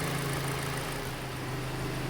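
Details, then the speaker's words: Hyundai Elantra that had a cylinder 3 misfire (codes for manifold and intake air temperature, carbon smell) after reconnecting a loose injector plug: steady, even low hum at idle, no missing beats, running clean. "تلاحظون دحين السيارة صافية."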